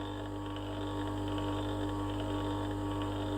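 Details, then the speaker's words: New 70 RPM gear motor, no load, bearings still bedding in, running lukewarm, weight pressed on it: constant low hum with a faint uneven flutter, possibly from the gearbox: gear motor vibration. "I don't know what that is. It could be from the motor gearbox."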